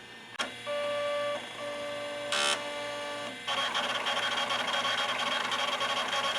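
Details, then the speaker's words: VTI Turbo 55 (Samsung) 12 MHz 286 PC, 42 MB hard disk running a Norton benchmark: a few tones, then fast, busy buzzing chatter of head seeks; loud but the old drive works normally. "Whoa, listen to this thing do a benchmark test. That is a hard drive sound there."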